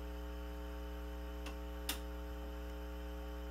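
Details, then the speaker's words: Fender silverface Bandmaster amp, believed 1972, customer noise complaint: steady low 60 Hz hum with buzzy edge, from faulty normal-channel input jacks when playing through the vibrato channel with the normal channel up. "Okay, so if you do your math, you take 0.005, multiply it by 3.5, and then take the reciprocal, and you're going to come up with about 60 hertz. So that's a 60 hertz hum."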